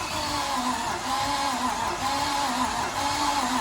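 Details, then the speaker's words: Nissan R33 RB25DET Neo (homemade motor): uneven, lumpy cranking with a wavering starter whine and no catch. The owners think it sounds out of timing; a follow-up compression test read about 130. "Sounds weird as. It does sound like out of timing."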